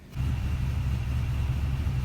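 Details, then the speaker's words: 2004 Toyota Tundra, now showing oil pressure: deep loud muscle-car exhaust rumble at idle, slightly lumpy beat, engine shaking with every revolution but revving up nicely; cause of shake unknown. "Got kind of a muscle car sound out of the exhaust here. Chuck shaking kind of with every revolution. It's doing good though, revving up nice."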